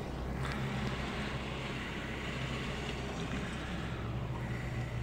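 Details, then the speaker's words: Chevy engine after removing the oil pan and cleaning the oil pump pickup screen, to address slow oil pressure and noise on cold mornings: steady, even low idle with no ticking or knocking; oil light goes off quickly. "escucha bien en el motor está trabajando bien se escucha muy bien amigos"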